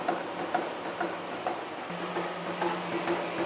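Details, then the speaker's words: Steady face-milling cut on a new steam chest valve yoke for a 1917 Vulcan Iron Works narrow-gauge steam locomotive, about 0.050 in depth of cut: soft even cutting hiss, light ticks twice a second, low hum; smooth unlabored cut leaving a nice finish. "looking back here oh yeah we're getting a nice finish on that I think I'm just going to let it roll like that that seems to be working pretty good"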